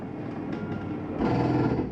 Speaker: I'm all the way out sounds like a gr but it's not it's just the the mechanism saying it's all the way out